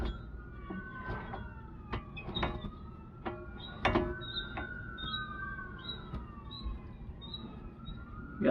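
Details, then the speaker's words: 2000 Jeep TJ front axle, brake disc removed: slow squeaks and sharp clicks as the axle U-joint is worked by hand, showing slop; worn U-joint to be replaced. "all right so now you can really hear that's that u-joint knocking around so more than likely you'll be able to see back in here where the u-joint is there's a little bit of slop that's our issue"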